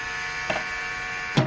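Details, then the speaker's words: 2008 Saab 9-3 Turbo X V6, key on: steady electric buzz from the brake vacuum pump that never shuts off once the last booster vacuum line is connected, indicating a vacuum leak in that line. "Now when we add this last one in though, that is where I believe my issue is, because the pump does not stop."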